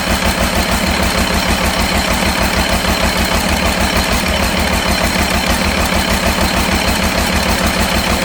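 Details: Cummins diesel in C40 truck after replacing number 6 injector: lumpy, uneven low idle thump about three beats a second; still runs rough, cause unknown.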